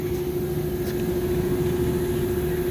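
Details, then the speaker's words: New package unit not cooling; condenser coil was replaced for a factory leak and the evaporator bottom was frozen. The compressor hums alone with no condenser fan, then cuts out: short cycling, suspected low- or high-pressure trip. "I would suspect it's going on low pressure or high pressure let's get in here see what's going on"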